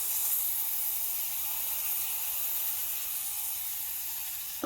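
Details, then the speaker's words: Breville Barista Express BES870, freshly descaled and cleaned: strong, steady high steam wand hiss with no sputtering, after about 15 seconds of warm-up and the pump pulsing every half second, tailing off as the valve shuts; working normally. "Let's test out the steam wand. I'm going to be making a latte anyway, so. Takes about 15 seconds. And then you start hearing the pump. The pump goes every half a second, so you can use the pump as a timer."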